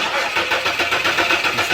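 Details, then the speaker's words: Dodge Charger no-start, shutoff (fuel pump) relay missing: brisk even cranking with no firing because no fuel is supplied. The pump is heard once the relay is refitted, and a transponder key is also needed. "it just cranks you notice my assistant will show you when I'm starting it there's no fire"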